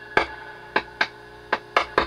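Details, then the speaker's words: Dr Z Maz 38 Senior amp with reverb feedback and squealing at higher levels, after replacing a resistor: six hollow ringing knocks through the speaker as the board is pressed, over a quiet hum; general residual microphonics, possibly normal. "maybe I was being a little bit over worried about some level of microphonic on this board"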